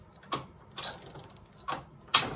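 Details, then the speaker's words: 1987 Honda XR250 four-stroke trail bike on the bench, gearbox check: neutral down to first, up through sixth and back. Separate crisp clicks and clunks with quiet gaps per gear; shifts engage cleanly with no grinding. "So gearbox check. In neutral here, down into first,"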